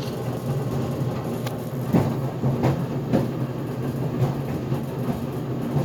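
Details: GE Profile Harmony dryer on cooldown cycle (11-minute dry time, no extended tumble, sneakers cycle): irregular heavy thumps about once per second over low drum rumble; door pops open near cycle end; cause suspected, not confirmed.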